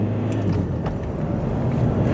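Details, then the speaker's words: Citroën Berlingo cruising at motorway speed en route to the NEC show: steady low drone under road and tyre roar, pulling evenly with no obvious misfire; running well enough, though lumpy when cold and a wheel bearing is going. "well enough she's not perfect sometimes um a bit lumpy especially when she's cold so we we have still got that issue"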